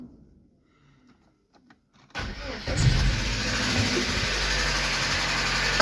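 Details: Lada Priora 2170 engine, hydraulic lifters already replaced without help and no oil consumption: starts into a fast idle with an uneven light knock; owner suspects camshaft over piston wear, undetermined.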